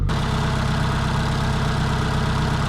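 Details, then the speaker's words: 2012 Scion tC with a squeal while driving and a recent stall on stopping, cold start: steady, even rumble with no knocks or misses, idling near 1000 rpm while cold; normal cold idle. "okay so it's idling around a thousand right now but I think that's just because it's cold"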